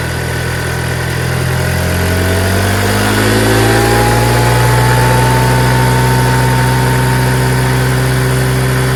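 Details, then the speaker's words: TNG Verona 150cc Chinese scooter, single cylinder, found on the street, first start after a carburetor clean; revs up smoothly with pitch climbing cleanly, then drops back to a steady, even idle. Runs and idles healthy. "Is that idling? Whatever it is, it sounds great. If that's just idle, you know what I mean?"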